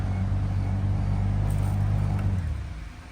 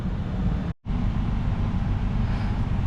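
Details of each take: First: 2014 Toyota Venza with heat on, blower running; steady low droning hum with buzzy vibration felt, dying as fan stops; blower motor hum, suspected failing blower. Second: 2014 Toyota Venza after replacing the blower motor, which bound up behind a clogged cabin air filter: a steady low fan whoosh with no rattle, scrape or wobble. The blower runs normally.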